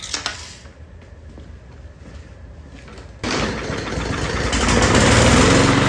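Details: Briggs and Stratton E500 mower engine with plastic carburetor that wouldn't start, after fix: quiet, then catches at once and settles into a steady, even run building smoothly; normal running.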